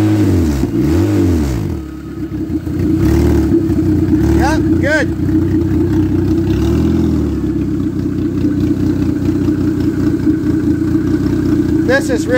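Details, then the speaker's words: Ex-race Neon four-cylinder on a floor test stand, hot: even idle with quick rev blips climbing and falling cleanly, no knocking or misfire; good oil pressure and acceptable compression, a sweetheart of an engine. "this is just it's a sweetheart of a little engine"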